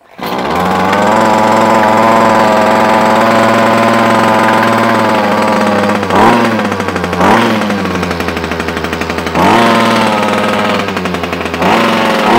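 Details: Titan two-stroke strimmer after a carburetor swap, primed and started; before this it would only run on choke. Off choke it now holds a steady high buzz, blips cleanly on the throttle and settles back, running normally.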